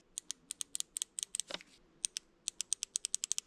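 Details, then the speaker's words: Porsche 911 3.2 Carrera fuel injector bench noid test: crisp, sharp, identical ticks about five a second with no buzz; this injector clicks normally, unlike the bad cylinder 5 injector. "let's go ahead and test the other ones there's our click"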